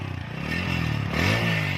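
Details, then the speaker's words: TVS Apache RTR 160 4V before repair: an idling single with a rough, uneven phat-phat popping from the exhaust because the silencer's inner mesh baffle has burst. Exhaust popping from a broken silencer baffle. "ेंसर का काम जो silencer की आवाज थी फटफट की आवाज जो आती थी जाली फट गई थी उसी को ठीक करा रहा हूं"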